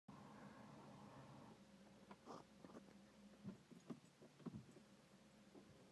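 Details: 2002 Peugeot 307 2.0 HDi 110 diesel at cold-start idle: low hum with irregular rattling clacks about every half-second. Occurs only at some cold starts, stops with a throttle blip or after driving briefly; owner suspects a belt or the dual-mass flywheel.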